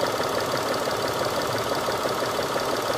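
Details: 2012 Mitsubishi Mirage Exceed automatic, used-car inspection after battery test and during alternator charging check: steady, even idle with a light regular patter about three beats a second, no knock or miss; engine healthy.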